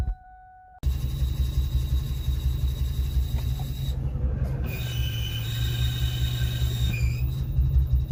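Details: 2003-04 Mustang SVT Cobra: deep, lumpy engine rumble with a thin high whine riding on top from a bad clutch throwout bearing.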